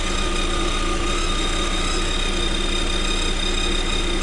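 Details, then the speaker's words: 2021 Lada Vesta, about 3000 km, at idle: steady high whistle growing louder, owner suspects idler roller or alternator, unconfirmed; goes away after about 10 minutes driving. "наш ролик свистит все сильнее вот если слышите да ест идет явно от генератора получается"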